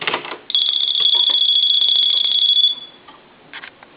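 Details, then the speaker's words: Dolphin novelty telephone after repair: bright, warbling electronic ring for about two seconds, then stops cleanly; ringer working normally, dial tone present. "let it ring a couple times go ahead and activate the phone there's your dow tone and you should be okay now"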